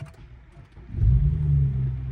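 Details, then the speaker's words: BMW 335i after fixing the coolant leak and refitting the coolant transfer line and airbox-to-turbo tube, on jack stands: brief crank, then steady even low idle, no knocks, squeals or hissing. "There she goes. So far sounds good. So it's been running for some time now. It's at operating temperature and I'm not getting any leaks from below."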